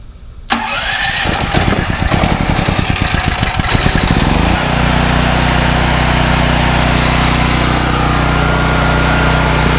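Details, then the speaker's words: Firman tri-fuel generator, 9400 W peak and 7500 W running, started on natural gas with choke on and electric start: cranks about four seconds, then catches cleanly and settles to a steady, even hum. "So now all I have to do is push the starter button. Once it cranks, all I have to do is turn the choke to run."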